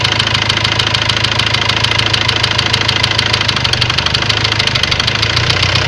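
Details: Ford Transit diesel at idle: a sharp, even knock about three per second over the idle clatter. Afterwards a warning light lit, revs stopped rising, and scan codes showed high-pressure calibration data, cylinder balance and a leaking injector. Cause not yet confirmed.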